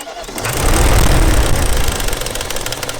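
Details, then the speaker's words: BMW 540i V8 running again after reassembly: fast metallic clatter over a low rumble because a timing chain tensioner/idler between intake and exhaust was not torqued, its nuts came undone and the chain rattles; the plan is to pull the valve cover and fit new nuts. "There's some little solenoid things that go in between them, and I didn't torque this one down apparently because it has come undone and is rattling and making all kinds of bad noises."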